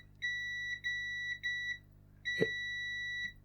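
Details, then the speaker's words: Bush DAB radio that won't power on, power button tested with multimeter continuity: a beep cuts out every half second while the button is held, so contact is intermittent; faulty button suspected. "ah yeah when you hold it down it doesn't give a continuous beep so if this needs to be held down to turn it on it's not going to turn on"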